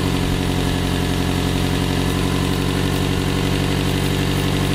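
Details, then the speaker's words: 1996 Toyota Camry, 275,000 miles, with an unfound overheating issue: loud rough idle with an uneven puffing chuff from an exhaust leak. "as you can hear we got the uh exhaust leak"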